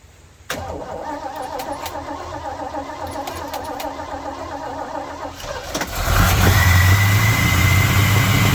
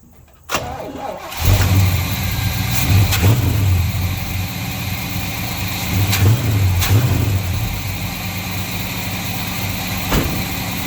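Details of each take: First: 1953 Chevrolet truck first start after timing chain cover repair: cranks, catches and settles to a rough idle with a thin steady whistle; vacuum leak at the EGR port that was not blocked off, fixed with a block-off plate and gasket. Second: 1953 Chevy truck after timing chain cover block-off and a hose leak fix, timing just adjusted: cranks, catches within a second, then a steady, even V8 idle with no misses; runs much better.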